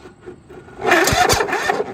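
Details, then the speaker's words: Husqvarna riding mower with Kohler Courage engine: brief cranking that catches about a second then stops; owner was told compression, but mechanic is about 95% sure it's a failing starter. "so he says what it does is it rolls over a little bit and then it stops so they think that's a compression to me that is a starter issue"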